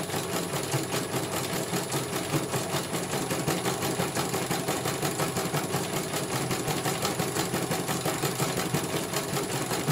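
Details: CNY computer embroidery machine from Banjarnegara, Central Java, test-stitching after service (dynamo motor earlier wouldn't spin at all): quick, even needle clatter with steady motor hum, no knocking or grinding; one colour finished, result very good, normal stitching.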